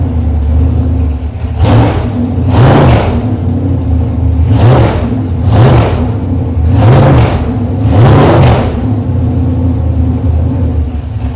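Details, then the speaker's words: Chevrolet 454 big block V8 on a test stand, cold day, open headers, blipped repeatedly: loud lumpy note rising and falling cleanly with no knocks; over 2 gallons of fuel run through, valve covers off several times, runs nice, ready for a restored El Camino. "I put more than 2 gallons of fuel through this engine already. It runs nice. And it's ready to deliver."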